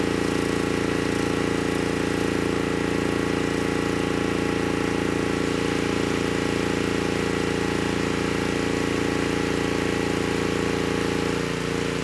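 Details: Honeywell HW5500 5500-watt generator, 337cc single-cylinder engine, after fitting new Hipa carburetor, replacement tank and old gaskets (insulator issue found); steady, even governed speed with no hunting, surging or misfire — normal running.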